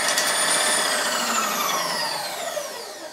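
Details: New VEVOR power feed on a Bridgeport mill table at rapid traverse: steady motor whine with gear hum sliding downward, even and free of knocks or grinding. Normal rapid traverse.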